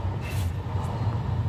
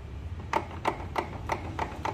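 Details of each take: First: Honda Vario 150 scooter rear after repair of worn bearing that caused tek-tek knocking when wheel was wobbled: steady low hum, smooth, no knocks or ticks. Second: Honda Vario 150 scooter, rear wheel spun by hand: sharp clicks about three a second with heavier clunks (ceklok-ceklok), worn final-drive bearing; felt strongly over rough roads and bumps.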